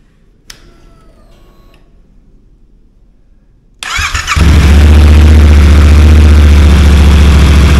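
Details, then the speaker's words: Yamaha T7 twin fitted with a low-mileage engine from a crashed MT-07, replacing the motor overheated after coolant loss; first start before refilling coolant fires within half a turn, settling into a strong even steady beat; normal. "uh I can't believe how quick that started that wasn't even a full crank over that was like half a turn and it boom fired cool"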